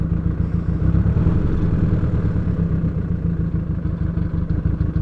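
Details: 2003 VW Jetta 1.8 turbo, 174,821 miles, codes P0341 camshaft position sensor and P0011 camshaft angle: uneven lumpy idle, loose clattery beat, dropped pulses, shaking; owner suspects cam position sensor, unconfirmed; smoked on road.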